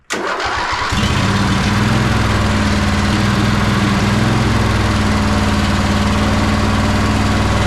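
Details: Sabre by John Deere lawn tractor twin-cylinder engine after carburetor cleaning, on a junkyard starter: starts and settles into a lumpy, stumbling beat; right cylinder not firing though spark present, plug cold, traced to a clogged carburetor port.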